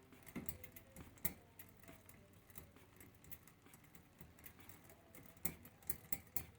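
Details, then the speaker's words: Mountain bike rear derailleur being tightened: quiet irregular light tap about once a second as chain grabs the adjacent cog; too much cable tension, fix is backing off until on the correct gear. "So what you'll get with these is you'll start hearing it grab that chain beside it. You hear a little tap"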